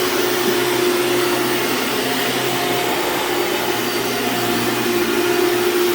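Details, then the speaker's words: Hoover Dimension Supreme upright vacuum running: loud motor roar with thin wavering squeal on top; worn drive belt slipping, it normally squeals out immediately on rugs. "yeah so that belt is definitely going out you could hear it squeal a little bit"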